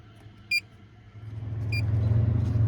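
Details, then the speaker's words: 2002 Cadillac Northstar running rough with poor idle, stored codes random misfire (P0300) and throttle position sensor (P0121), pending evap vent solenoid code: low, uneven, pulsing idle rumble with short beeps; vacuum leak suspected, not confirmed. "Yeah, let's fire it up and we'll take a look and see what we can figure out. It sounds like look like a vacuum leak or something, possibly."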